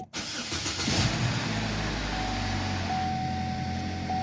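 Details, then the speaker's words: 2014 Chevy Equinox with P0011/P0014 codes and stumbling, stalling at stops, first start after timing work. Quick crank, catches cleanly and settles into a steady smooth idle with no rattle, ticking or weird noises. "I'm not hearing any weird noises, so that's good. The engine sounds good."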